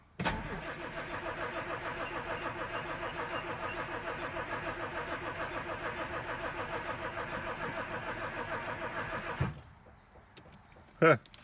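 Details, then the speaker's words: 1967 Jaguar Mark II, off the road 20+ years, after valve cover work: the starter churns steadily for about nine seconds but it never catches, and fuel is leaking. Crank, no start. "It won't start. Not surprised."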